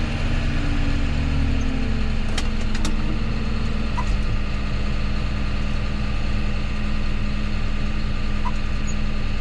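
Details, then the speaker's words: John Deere 6210R tractor: heavy, steady diesel drone with a slightly wavering low hum, no clear knock or smoke; sounds strained and down on power, unusual engine sound. "sound weird here it sounds like it doesn't have the power no like it's nothing yeah no smoke there"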